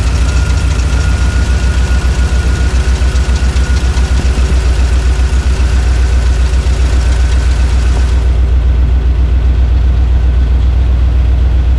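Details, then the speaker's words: 1978 International Scout, new fuel pump and filter, boat tank replaced by factory tank with 5 gallons added: steady cranking about four turns a second, never fires; fuel not reaching the filter, fuel starvation. "That's not a good sign. That is not a good sign that that filter doesn't have fuel in it yet."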